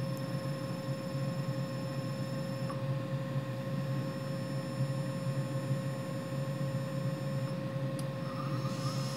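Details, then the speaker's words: Hitachi WJ200 VFD running motor auto-tune on a new 3HP ATC spindle (Grizzly G0704 mill), pulsing varying power to measure the motor's electrical characteristics. Steady electrical whine with fixed tones over a faint hum; auto-tune completed successfully. "so I can hear it pulsing different amounts of power through the motor and presumably it's measuring the electrical characteristics"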